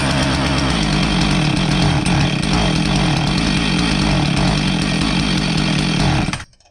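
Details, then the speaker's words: Husqvarna 450 chainsaw that starts but won't rev: ragged, uneven two-stroke buzz that surges and stumbles, misfiring and bogging under throttle. Spark tester reading was erratic; owner suspects ignition and plans to try a different ignition module. "we could certainly hear that it wasn't running right and it was missing and when we pulled the throttle it would just bog"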